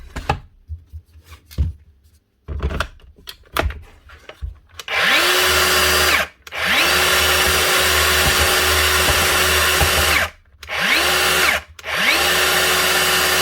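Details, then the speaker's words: DeWalt DCS570 saw after replacing the blade guard with a bad bearing that caused spindle vibration: spins up to a smooth steady whine, no wobble or rattle; normal running after repair. "Much better. That's it. One bad bearing on the return guard or the safety guard causing vibration and the actual spindle."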